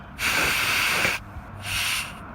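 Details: Motorcycle tire being bled toward a 33 psi target after overinflating by two to three psi. Two bursts of sharp high hiss, about one second then half a second, as air is released from the valve: normal deflation.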